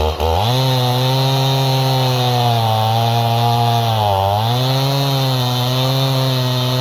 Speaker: Cutting, it loads up. You can hear it kind of start bogging, like it's loading up, and she's cutting good. Definitely throwing some decent wood chips, a lot better than it was.